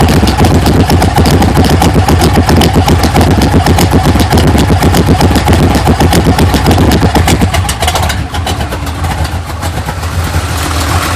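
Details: 1980 GMC Sierra C15 with junkyard L31 Vortec 350 (9.5:1), Summit K1107 .488/.510 lift cam, Performer RPM intake, 600 Holley, Flowtech headers, Thrush mufflers; cold start, loud choppy idle, steady lumpy beat about 2.5 pulses a second, mic clipping; rough lopey idle from big camshaft.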